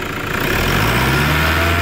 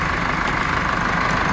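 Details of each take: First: Toyota Hilux 3.0 after turbocharger replacement: idles then revs up and down twice smoothly, the earlier loud turbo noise gone, no whistle or howl; normal running after repair. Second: Chevrolet S10 at idle after A/C compressor bracket installation: steady constant-pitch high whine above engine murmur; mechanic suspects alternator bearing, not confirmed; alternator whine.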